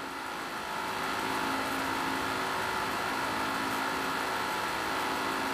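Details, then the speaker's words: Dell XPS 9570 laptop with two cooling fans, under no load, noise mainly from one side: as the fans ramp up there is a steady high whir with a rough, buzzy edge over a hissing rush. One fan is failing and due for replacement. "so right there you can hear the fans start ramping up and you can hear how bad that fan sounds"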